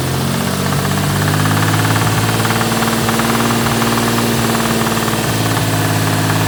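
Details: Toyota 2JZ-GTE engine: loud hard knock about three to four times a second over idle, following revs; spun rod bearing.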